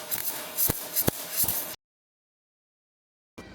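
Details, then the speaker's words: MIG welding listening test: sharp, harsh frying crackle with hard pops from the arc, like frying bacon too hard; voltage set too high for wire speed, turn voltage down. "How do you know if voltage is right? Go back to the listening test. Sharp spot of frying bacon too hard."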